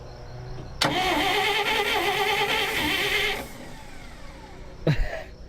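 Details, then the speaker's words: 1959 Dodge D-300 farm truck, rebuilt starter installed with the first solenoid bypassed and the trigger wire run straight to the starter: high whirring crank, then a lingering falling whine as the starter releases slowly; better but still sticky, solenoid position suspected. "it's better it is a lot better it just a little bit of it's sticky"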